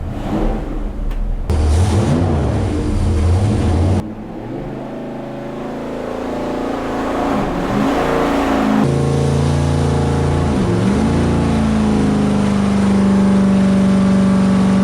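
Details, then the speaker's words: Numbers-matching 440 Magnum U-code V8 in a 1970 Dodge Charger R/T on a dyno pull, ported heads, exhaust manifolds, bored 30 over, forged pistons, six-pack rods; revs hard, note breaks and stumbles briefly around 5,900 rpm then recovers: little high-rpm misfire. "Something went there. 5,900. It went like a little misfire."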